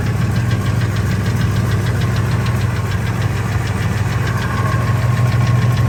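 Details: 1999 Ford F250 V10 idling in park; fast, fairly regular light tick, about three per second, over a low idle rumble. It is intermittent from 600 to 1800 rpm, loudest near the flex plate and gone above 1800. Injectors and coils replaced, EGR deleted; source unknown.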